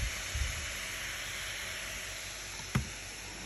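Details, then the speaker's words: Acer Predator Helios 300 gaming laptop overheating: loud steady airy whoosh with faint high whistle from fan running at very high speed, about 5882 rpm on the GPU fan. "it is the same problem we had yesterday with the macbook air the fan is running at really high speed hear the sound"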